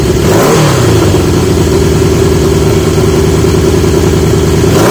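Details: 1980 Yamaha XJ650 four-cylinder motorcycle with new (old) exhaust pipes: revs up and settles smoothly, exhaust note rising and falling evenly with throttle, crisp and much better than before. Normal exhaust note.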